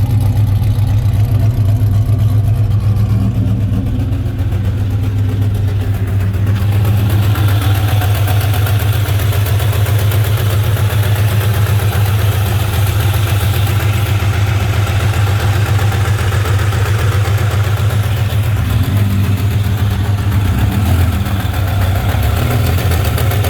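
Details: 2003 4.6 2V V8 at startup and idle: deep steady rumble with a light clacking tick riding over it.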